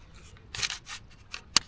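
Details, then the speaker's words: Inflatable kayak paddle shaken: a few sharp, dry clicks and rattles as loose ferrules move around in the joint hole, felt as shake during the stroke; paddle ferrule joint rattle. "There it is. It's in that joint there. The ferrules are moving around in that hole there."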